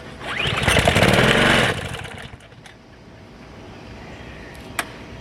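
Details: Subaru-powered 3100 PSI pressure washer after pump replacement (old pump had bad seals), garden hose connected, air bled, white tip: engine catches after brief pull, runs fast and even about two seconds; healthy.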